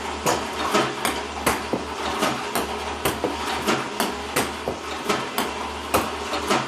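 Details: iPong Pro ball launcher, 4 weeks old, about 2 hours run time, clean Joola 40mm balls, power cord fully plugged in: sharp clacks two or three per second with uneven gaps and weaker hits; misfiring increasingly often.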